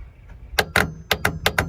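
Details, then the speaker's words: Nexus Ghost Super C RV electrical fault: several sharp dry clicks in pairs as the relay is powered, nothing changing afterward; the relay contacts appear welded together so it never opens. "so I think the relay got kind of welded itself together so it never shuts"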